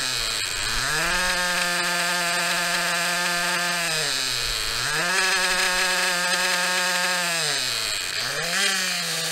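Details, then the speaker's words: Maxy's Cinco 2.0 nitro RC engine on a break-in stand with Bones break-in fuel, around 280 degrees; idle bumped up slightly, revs up and drops back twice then settles to clean steady idle, normal. "i like to bump up the idle a little bit to help it let me do it from this side the way my arm ain't in the way so bump the idle up a little bit good to go"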